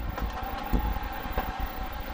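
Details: Newly installed diesel heater in a skoolie school bus conversion, left running: steady low rumble with constant mid-pitch fan hum, no surging or popping; burning evenly, normal running.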